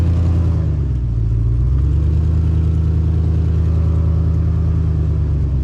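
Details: WJ Jeep Grand Cherokee driven around a yard before the exhaust leak was fixed: a deep, low rumble that rises and settles with the throttle, with a raspy throbbing edge, consistent with a leaking exhaust.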